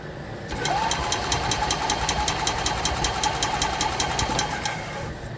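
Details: 2021 EZGO Express L4 EFI cranking during no-start diagnosis: starter spins the engine with a steady whine and even chug about 2.5 per second but it never fires; relay then tested, showing about 12.7 V on three relay legs.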